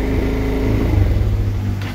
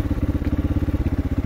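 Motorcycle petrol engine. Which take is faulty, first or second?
first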